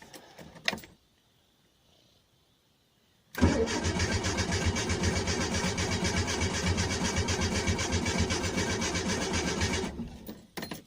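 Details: 1986 Renault Super 5 GTL 1.1 petrol, first start attempt after months unused, choke on, pedal pumped, in neutral: even starter cranking about four turns a second for six seconds, never catching; it turns over but won't fire.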